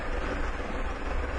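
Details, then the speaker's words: 1997 Mercury Villager that had a rough idle, stalling and then no-start, idling smoothly after the EGR valve was found not closing fully at idle; steady even rumble, fuel trims returning toward zero. "Engine sounds really good now, and we can see that we're bringing our fuel trim back up."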